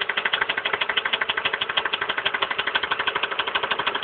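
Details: 1999 Ford Expedition Eddie Bauer 5.4 V8 at idle after a mechanic removed the intake manifold to replace the coolant pipe behind the water pump housing and changed spark plugs: loud, metallic knocking about three per second; engine knock, cause not found.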